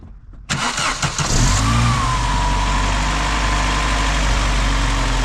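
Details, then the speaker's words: Vauxhall Cavalier that had been running on three cylinders because of a shorting terminal, now insulated with tape. The starter catches quickly and the engine settles into a steady, even idle. Coolant temp sensor wiring is suspected of a separate fault. "That sounded better."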